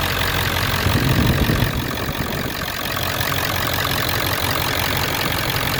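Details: Ford 7.3 Power Stroke diesel after lift pump replacement (old pump let air into fuel system causing hard starts): even, steady idle clatter with no misses or stumbles; healthy normal idle.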